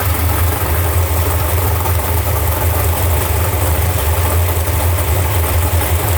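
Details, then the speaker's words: 632ci big-block Chevy drag boat engine, first start since last season after valve lash reset and oil priming: deep, loud, steady idle rumble with an even low beat and no stray knocking; motor healthy. "boat sounds good motor sounds healthy"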